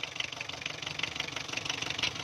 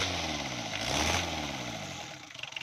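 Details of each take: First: Diesel engine with injection pump timing set far too advanced, warm, vibrating, weak pickup under load: harsh, hard clatter about twelve times a second over idle; fix is loosening the 12 mm pump bolts and retarding the pump. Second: Diesel engine after fixing hard starting and weak pickup by retarding the injection pump and tightening its 12 mm bolts: brief regular cranking, clean catch, revs up and settles into a steady idle; healthy start.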